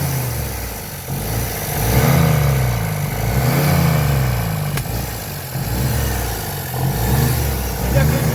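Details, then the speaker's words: 1957 Peugeot 403 U8 pickup, thought unrun for 34 years, first start after several attempts: revs rise and fall smoothly about every second and a half, pulling cleanly with no misses or knocks; it runs. "It's alive! It's alive! It's still a shit at the bottom. Yeah, if it goes straight through, it'll run. It ran!"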